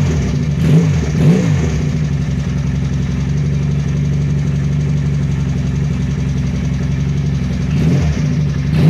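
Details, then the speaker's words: Benelli Patagonian Eagle twin-cylinder motorcycle after a spark plug change: smooth, even idle with clean blips and no stumble or limp, so both cylinders fire and there is no misfire. "oke ya suaranya engak pincang kanan kiri aman berarti ganti businya aman"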